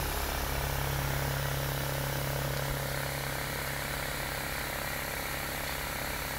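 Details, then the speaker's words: Homemade pulse motor repaired with electrician's tape, speed test: fast steady whirring with even pulsing beat, speeding up, no scraping or stumbling; spinning freely at speed. "we can hear that getting quick now see if that's as fast as it'll go that's really getting the speed on there"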